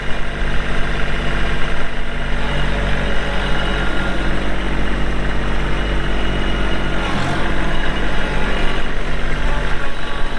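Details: 2022 Kubota LX2610SU 4WD hydrostatic compact tractor with LA535 front loader, 138 hours, idling; steady low diesel rumble with an even beat, no knocks or rattles. Normal running.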